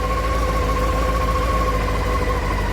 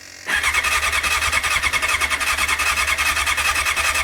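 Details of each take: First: 1989 Honda CBR600 restoration, first start after carb clean and old fuel drained: in neutral, choke on, steady raised idle at about 1,500 rpm, no misses or knocks; owner points out the tick-over adjuster before dropping the choke. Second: 1989 Honda CBR600 restoration with cleaned carbs: steady fast starter whirr for about five seconds with no firing, fuel not reaching carbs because the fuel was not properly turned on.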